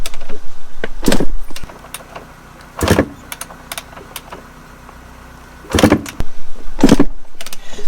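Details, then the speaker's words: Yamaha YZ250 dirt bike, fuel and choke on: four kick attempts, each a short churn with no firing; won't start, owner suspects spark plug, oil seen leaking. "sound right that doesn't it's not starting [Music] is it the fuel filter is it electrical i'm not sure [Music] i've got a feeling it's the spark plug that needs to be changed"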